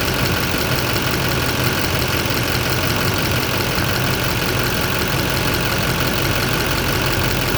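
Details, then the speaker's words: 2007 Chevy Silverado LBZ Duramax diesel idling after heater hose and nipple replacement: steady even, unchanging diesel clatter. Engine runs smoothly, hose no longer leaking. "And I'm gonna pull this off of here, fire it up, and make sure we're not leaking. All right, it's running."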